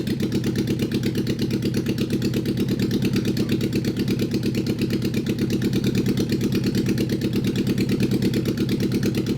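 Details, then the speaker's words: Abandoned Honda SOHC CB750 four-cylinder motorcycle engine swapped into 1980s Suzuki Quad Sport 230 ATV, first start in years after regapping plug; steady low thumping idle with choppy uneven beat, sounds like missing on a cylinder; rough running, spark to be rechecked. "kill switch works kill switch works problems are not fixed no i'm going to pull the plug again yeah and you want to check for spark the old-fashioned way"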